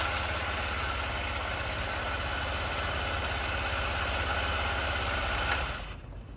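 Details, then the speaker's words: Honda Elite 80 (CH80) scooter after carb cleaning and diaphragm soak: steady even idle, no misses or surging, then shut off; running normally. "Boom, there we go. So we fixed the issue."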